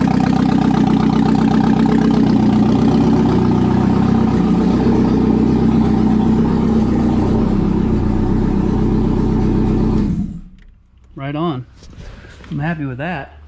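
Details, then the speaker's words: 1997 Audi A4 B5 after engine install, on a temporary non-turbo setup: steady, even idle for about ten seconds with no knocks, misses or hunting; sounds healthy. "that's a good year's worth of work i don't know it sounds good"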